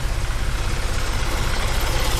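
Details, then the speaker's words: 1965 Ford Mustang V8 with an Edelbrock carburetor: a low, lumpy idle at about five or six throbs a second, not firing on all eight, but fine off idle and when driven. The owner suspects a carb idle-circuit problem, not yet confirmed. "it's like it's not hitting on all eight at idle but as soon as you bring it up when you drive it down the road it's fine"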